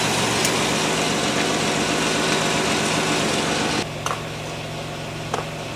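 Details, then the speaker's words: 1995 Pontiac Firebird 3.4 SFI after coil pack replacement: a steady, even idle with no stumbles or misses, noticeably smoother than before. Normal idle. "Seems like it's running a lot smoother than it was. So, what we have to do is test drive it now, but it's uh it does seem smoother."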